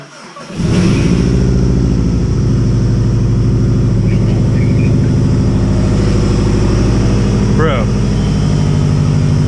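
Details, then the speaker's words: Subaru WRX hybrid EJ 2.0/2.5 first cold start: catches first try, quick rev, then a steady even idle at 12–13 AFR with likely cold-start enrichment; no odd noises, though a coolant leak is then spotted at the back. "right at 12 13 AFR which is perfect for the injectors it's probably got some cold start enrichment bro no crazy noises no crazy leaks"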